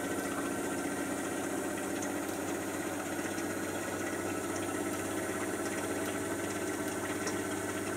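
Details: Miele Softtronic W487WPS 1800rpm washing machine, owned nearly 3 years, on a wash cycle: steady even motor hum with soft drum churn and water slosh, no knocks or grinding; running healthy.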